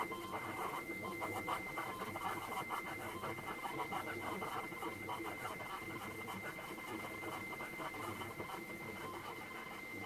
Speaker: well that sounds a lot better because that sounds more like what i would be expecting a cassette tape to sound like on an 8-bit machine